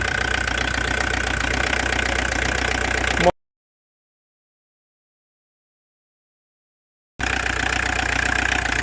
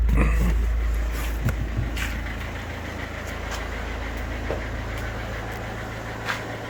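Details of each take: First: Old Audi diesel for sale: idle clatter with a slightly uneven pulse about three times a second; engine twitches a little, owner unsure why, possibly a leaking hose; cause not confirmed. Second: Audi diesel for sale, just after timing belt change, with new oil and filter: revs drop from a blip into a steady, even low idle with a few handling clicks; no smoke, engine runs well.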